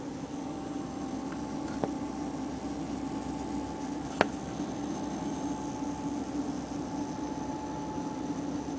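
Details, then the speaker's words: MCP655 pump in a series CPU water-cooling loop, recorded close up with the case side panel open: constant low hum with a fainter higher tone and a couple of faint clicks; electrical-type pump noise of unknown cause. "I'm going to be showing you the sound that my pumps or my my one pump in in my series CPU Loop is making"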